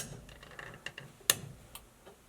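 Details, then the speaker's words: Dodge Challenger abandoned 35 years, recorded in the cabin with the right turn signal on. Crisp, even flasher relay clicks about twice a second in a quiet cabin; the turn signal flasher works normally. "there's our right turn signal."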